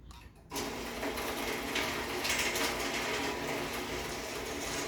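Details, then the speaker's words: Challenger garage door opener on a rebuilt rail: it runs with a quiet, even hum and light chain rattle and popping, with no grinding or binding on the rail, operating normally. "you can hear the opener itself is actually very quiet and you can see the rail works perfectly fine"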